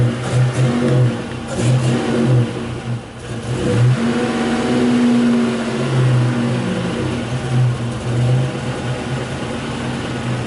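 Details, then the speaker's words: 1984 Buick Grand National, warmed up, under throttle while fuel trims are watched on a scan tool; it goes lean, then sticks rich, shaking and misfiring with uneven surging, and falls flat on its face. "we just went lean it's kind of shaking misfiring a bit hold the thr down a little bit oh really doesn't like that"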